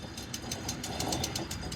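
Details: 2004 Cadillac Escalade ESV, front hub turned by hand during a brake and rotor job: quick, even clicking, about six per second, from a worn front wheel bearing with play; the rotors were not the cause.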